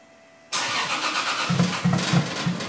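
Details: 1965 Mustang restoration with 2JZ engine and new custom exhaust (downpipe to Dynomax race bullet muffler, routed along the driveshaft and over the rear axle): catches after a quiet lead-in, steady deep idle with short rev blips; healthy and even.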